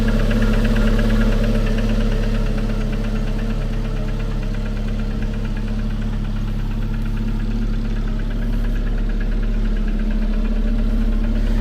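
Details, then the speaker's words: Engine at idle with a sharp, regular knock about three times a second, once per crankshaft turn. The source is unknown: the pump is a possibility, nothing can be felt, and the owner wonders about a break-in period. "Ouais, mais on l'entend bien effectivement ce fameux claque. Don on sait pas d'où ça sort. Ouais, mais par exemple, ça peut être aussi la pompe."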